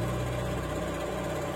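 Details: Honda Scoopy scooter after cleaning and re-tightening the battery terminal connectors, which had caused a no-start with only clicking: starter engages cleanly and the engine settles into a steady, even idle; normal start.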